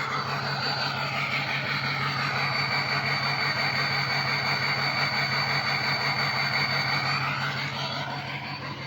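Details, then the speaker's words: Diesel after 15–20 minutes idling and a drive to heat the oil, with stiction eliminator added: exhaust at idle is choppy with an uneven chuffing pulse about three times a second; owner suspects a wiring harness issue, unconfirmed. "Uh he was dealing with a 6o and he said that it's not supposed to be choppy. No 6o exhaust is supposed to be choppy."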